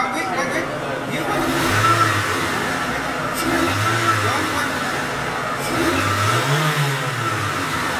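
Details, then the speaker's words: Mitsubishi Galant with defective MAF sensor (MAP sensor already replaced): on throttle blips revs climb, falter and sag, engine bogs down as scope shows MAF signal glitching and cutting out, meaning less air reading. "know did you hear that engine from bog down going play it back in a second you're going to see on on the Pico scope"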